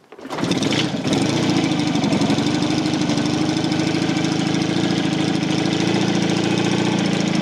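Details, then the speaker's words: Matchless G12 twin after full engine rebuild (new crankshaft, conrod, main bearing after broken crank), pipes cold: fuel on, carb tickled, full choke, advance forward, kicked over compression; catches at once into steady even beat, no knocks. Normal cold start. "we'll tickle the carb until the petrol comes out the top we give it full choke advance and 30 advances forward slack wire and fully as back torque wire so we're just going to bring that back a little bit fine compression and give it a kick"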